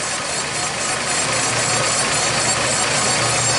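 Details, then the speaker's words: 2006 Jeep Liberty, engine running: steady buzz persists after torque converter and whole transmission were replaced; transmission lines pulse along with the noise, restricted transmission lines suspected. "you hear that noise you hear that buzz very serious birthing so what is the problem well I happen to put my hand on these transmission lines let me tell you exactly what is happening these transmission lines are pulsating right along to the noise"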